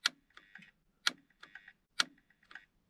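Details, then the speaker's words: 1997-2001 Honda CR-V central power door locks, tested after reconnecting the battery: locking works but unlocking fails; three sharp clicks about a second apart with no actuator movement; switch signal arrives, circuit board in lock suspected. "I'm going to lock it and see if it works yeah it does and on trying to unlock it and it's not working as you can hear"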